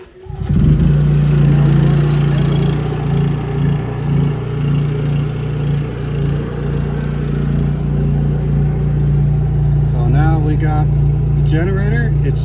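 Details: Generator remotely started from the Victron touchscreen/Cerbo GX to charge EG4 batteries: catches within a second and settles into a steady, even hum with no surging or hunting; starts and runs normally.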